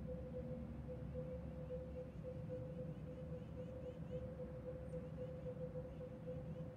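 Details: Unexplained repeating electronic beep, faint mid-pitched tone pulsing steadily over quiet outdoor rumble, heard from outside a house near railroads; source unknown, owner doubts it comes from the sky and wonders if it is railroad activity.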